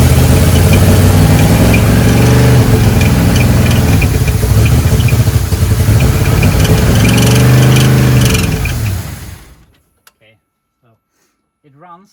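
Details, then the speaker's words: 1976 K5 Blazer, off the road since 1997, Rochester carburetor with its heat-isolator gasket apparently missing: a fast, steady idle well above normal with an even beat before shutting off; cause unconfirmed. "but it wants to idle really high"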